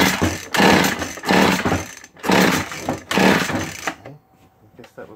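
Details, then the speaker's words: Vintage McCulloch Mac 110 chainsaw found sitting in water at a dump and never run, choked with fuel poured in: three short bursts of ragged two-stroke firing, then it dies to near silence; it starts briefly but won't keep running. "that was all we got out of it, huh? Bring the idle up a little bit."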